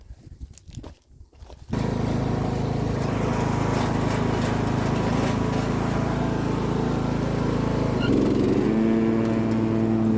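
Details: Single-cylinder acreage mower engine, just cleared of a fuel hydrolock by draining the cylinder; after a few rough pops it fires and holds a smooth, even drone with a steady beat, now running healthy.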